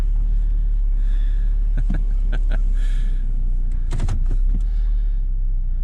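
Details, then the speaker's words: 2006 Nissan Altima that sat almost a year with no battery and would not run, now idling after a new fuel pump (earlier told transmission needed replacing): low, steady rumble with even beat, smooth idle that keeps running. Normal idle. "So basically all this thing needed was a fuel pump. It lives."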